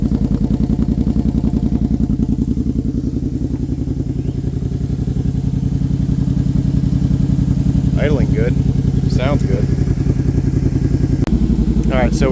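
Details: Brute ATV just started on Klotz Nitro, with the original fuel still in the system: a steady low thrum at about 3.5 firing pulses per second with a faint fan hum, no knocks or misses. Normal clean idle.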